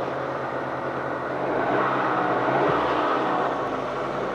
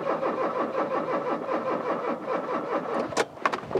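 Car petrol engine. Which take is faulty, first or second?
second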